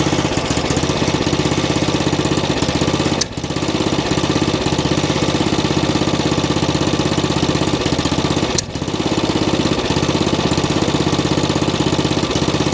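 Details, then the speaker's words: Old riding mower after replacing the carburetor with a cheap Chinese knockoff, choked start: steady fast even thumping run, holding speed with a brief dip; normal running, far better than before. "years better than it was"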